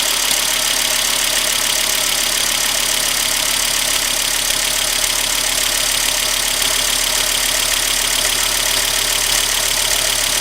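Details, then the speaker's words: Volvo engine just started after a homemade thermostat gasket repair, having sat a few weeks: smooth, even idle with a steady tone and no knocks or misses while warming up. Coolant level is being watched for overheating. "so far so good so there it is running"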